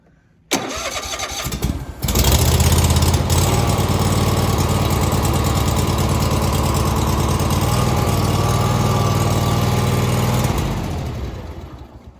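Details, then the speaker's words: Cub Cadet tractor with Kohler Courage 27 engine, started on choke after the fuel solenoid under the carburetor was cleaned, fixing the no-start: brief crank, catches about two seconds in, settles into steady even run with no misses or knocks; normal start. "oh my goodness there we have it all right finally I had a feeling that was going to be it that was the issue"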